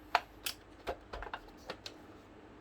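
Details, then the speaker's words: APC back-UPS after battery replacement, powered on with mains plugged in and beeping: a quiet room with a series of sharp, irregular clicks as the relays keep switching; the clicking later stopped, cause not confirmed. "but you can still hear the relays clicking."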